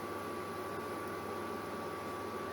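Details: Germanica portable induction cooker on heating mode at full power, water near boiling after about 1.5 minutes, meter reading about 178 W: steady, dead-even high-pitched coil hum over faint hiss; normal operation.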